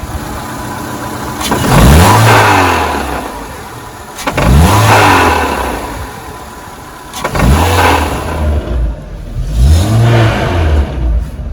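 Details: Renault with DP0/DP2/DP8 automatic gearbox, revved repeatedly to about 3000 rpm: metallic knock from transmission and engine as revs fall after releasing the throttle, pointing to a cracked automatic-gearbox flexplate.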